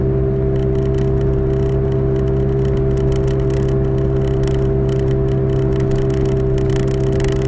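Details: 2005 Toyota Matrix AWD, camera in back while cruising: constant fixed-pitch airplane-like howl over road rumble; owner suspects a rear wheel bearing, side uncertain, both previously replaced; unconfirmed.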